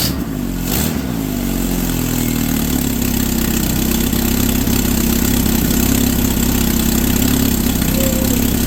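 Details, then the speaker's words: Suzuki SX4 just fitted with a Holley 3200 carburetor on an Offenhauser adaptor, replacing a failing Varajet II, with an electric fuel pump at six psi: brief cranking, then it fires snappily into a steady, even four-cylinder idle with no misses or knocks. Normal start and idle. "All right, that was super cool. It fired right up. Well, couple cranks, but uh fired off and uh it sounded pretty snappy."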